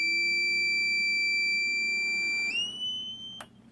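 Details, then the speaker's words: Newly built desktop PC at first power-on: a loud steady high-pitched beep holds about two and a half seconds, rises slightly, then cuts off; the cause is unknown. "are you ready for this I'm not but I got to go through it anyway I didn't blow up I had a beeping noise"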